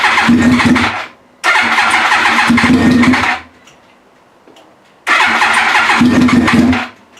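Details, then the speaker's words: Yamaha R1 project after reassembly (fuel pump, tank, fresh fuel, wiring harness): three bursts of fast even cranking about two seconds each with no firing; turns over but won't catch yet. "I finally got it put back together enough that it will turn over and I want to share that moment with you now because I want to get this thing running let's hear it"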